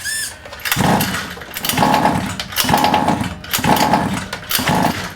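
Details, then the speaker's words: New 1/5 scale Baja RC two-stroke during run-in, primed with fuel in the cylinder, choke open, pull-starting: rasping bursts about once a second, catching briefly then dying; engine starting to fire. "all right that's starting to kick over now I can hear it's starting to fire"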